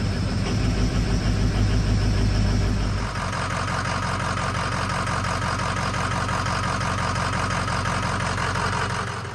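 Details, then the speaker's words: Ford 6.0 diesel F450 wrecker after finding a rusty fuel filter and fitting starter; rough idle with uneven lumpy beat about three per second, one cylinder dropping out; misfire, injector not contributing suspected, code P0273 for an injector. "So vast improvement over what it was, but you can tell we got a miss."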